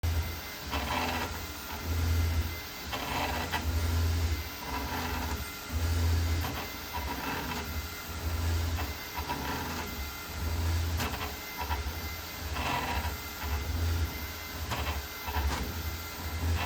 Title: Creality Ender 5 Max Grinding Noise